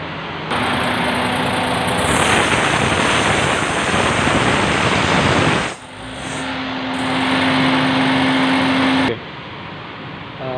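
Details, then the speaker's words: Suzuki Alto 660 petrol engine running: steady squealing "chu chu" from a slack fan belt under a loud hiss, louder with the AC on and extra engine load; fixed by tightening the belt adjuster on the timing side. "ये आपने आवाज़ सुनी belt की आवाज़ है, ठीक है। ये जब एसी चलता है, इंजन पे ज़्यादा लोड पड़ता है तो ज़्यादा आवाज़ निकलती है।"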